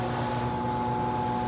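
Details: Bryant A/C outdoor unit after a hard start kit freed a locked compressor: constant steady hum with a clean, unchanging pitch and no rattles; compressor and fan running normally, blowing cold.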